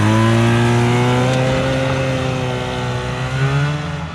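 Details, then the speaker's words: 1978 Polaris Cobra 440 two-stroke snowmobile, abandoned 20+ years, running on pavement after carburetor pilot jet work: steady, even drone holding a clean constant pitch, no misses or stumbles; running smoothly. "it runs great guys it's so much fun"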